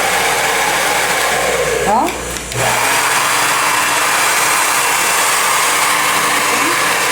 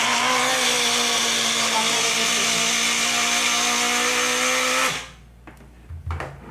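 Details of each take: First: Taiff hair dryer after replacing the motor bearing (mancal) that caused a strange loud noise: steady even rush of air and smooth motor hum with no rattle, grind or squeal. Normal running. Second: Taiff hair dryer running with a loud, rough high whir and rattly buzz, sparking inside, until switched off; the motor shaft wobbles in a worn bushing.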